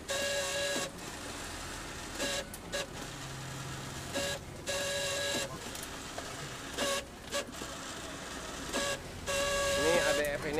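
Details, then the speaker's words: Canon iR-type copier (iR5000) document feeder (ADF), tested before repair: runs in loud harsh bursts with a piercing squeal. Noisy document feeder. "Kita tes dulu teman-teman ini adek efeknya sangat berisik"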